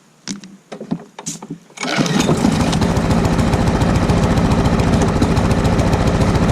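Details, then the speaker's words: Lawn mower single-cylinder with carburetor swapped from another mower, governor spring suspected out of adjustment: a few cranking pulls, then steady flat speed that never climbs; runs but lacks full power, won't rev up, cause unconfirmed. "it's running but it's not really it doesn't really have full power"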